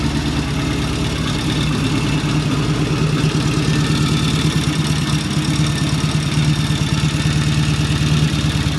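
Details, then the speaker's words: 1974 Norton motorcycle after the ignition timing was set and the idle turned up slightly. Steady, even idle at about 800–900 rpm with a smooth low beat and no misses or knocks. Normal idle. "And I turn the idle up just a little bit. That's about an 800, 900 RPM idle. And looking good."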